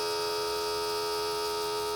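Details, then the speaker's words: Boat bilge pump tested with water added to the bilge, newly wired with a fuse holder and switch: steady electric hum with a clean fixed tone and no sloshing. The pump runs but moves no water. "The pump doesn't seem to be moving any water. Very disappointing."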